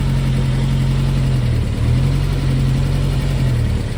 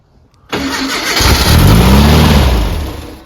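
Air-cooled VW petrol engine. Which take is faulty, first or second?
second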